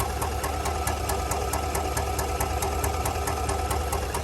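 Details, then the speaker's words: 2019 GMC Sierra 1500 5.3 L V8 at idle: sharp even ticking about four to five a second, a lifter tick related to the DOD/AFM active fuel management system. "This is a 2019 GMC Sierra 1500 with the 5.3. And this is going to be a lifter tick."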